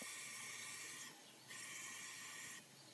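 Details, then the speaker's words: Ford 6.0 Powerstroke diesel, no start when hot, engine off with shop air in high-pressure oil system: steady high airy hiss of air escaping; leak found on this side, valve cover removal planned, cylinder six injector also to be fixed. "okay there that actually started leaking showing up pretty good I'm not sure how well that's showing up but this one this side is actually showing leak now"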